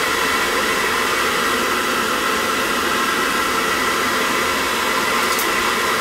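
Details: Riello oil burner on a triple-pass boiler, fired with a small nozzle line (0.50 to 0.95 gallons per minute) after complaints of cycling on and off; steady, even roar with no surging, sputtering or cut-outs; normal burner operation.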